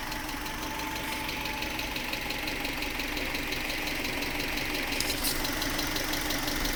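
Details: 1996 Subaru Legacy Outback 2.2L EJ22E flat-four, 165k miles, idle: light even top-end tick about three a second, both sides, cold or hot, rises with rpm; began around oil change with different filter; owner suspects injectors or valves, unconfirmed.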